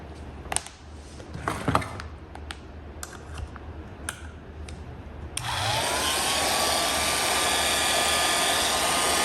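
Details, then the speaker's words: Fully restored antique Signal Type OB-4 oil can electric drill, final run after refinishing: handling clicks, then motor spins up to a steady even whine with a distinctly old sound, no grinding or rattle; runs clean. "It has got a fantastic old motor sound. Even motors from the 60s, 70s, they didn't sound like this thing."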